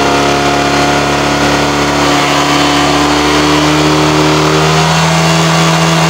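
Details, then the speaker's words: Honda Vario scooter killing spark plugs within about a week, with high fuel use and power loss, before drilling the silencer. Under throttle the revs climb slowly and hang at a steady drone, choked by a blocked catalytic converter and exhaust. "suaranya semcam ini nah pas ditarik ke sini ya Tu nahankan itu sebelum saya kasih lubang ini di sini itu suaranya nya parah itu ya"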